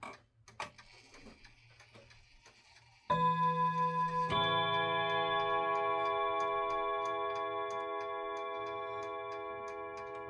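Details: Junghans German mantle clock that had stopped running and jammed when striking, after re-oiling: chime rings, then even, steady tick about three per second beneath; movement runs healthily.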